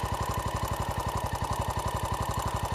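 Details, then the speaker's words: 2012 Honda XR650L with FMF Q4 exhaust, after owner's first valve adjustment: steady light ticking about twelve per second keeping pace with idle; runs well otherwise. Valve train tick, cause suspected, not confirmed. "I adjusted the valves and everything seemed to go well I think I got everything right but there's a ticking sound that wasn't there before"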